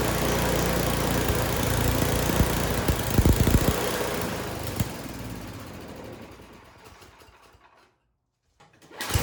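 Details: Snow blower small engine after maintenance and carburetor cleaning: speed rises and falls unevenly instead of holding steady, then dies away; surging persists, cheap carburetor to be replaced.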